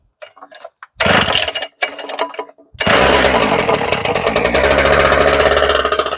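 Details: Husqvarna K970 two-stroke concrete saw, previously non-running, after service with decompression valve work and the primer bulb pumped: a few sharp pulls, then it catches into a fast, even buzz on choke; starts and runs cleanly.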